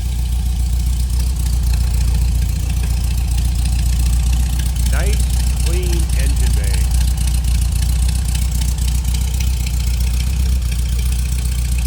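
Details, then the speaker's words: 1971 Volkswagen Super Beetle air-cooled flat-four, twin-port engine, rebuilt carb: fires right up and settles into a steady, even low idle with a soft regular beat, no knocks or misses; normal idle. "Fires right up. Radio working. If I get the right knob. Dash looks good. Fuel gauge is working. This thing sounds good"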